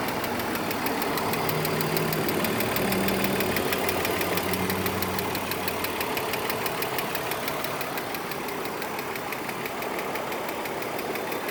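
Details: 2003 BMW E46 330Ci manual, petrol engine idling: light regular tick about three per second; comes and goes, sometimes from cold start, occasional misfire; plugs and ignition coils replaced, 5W-30 oil with Lucas additive; cause unknown.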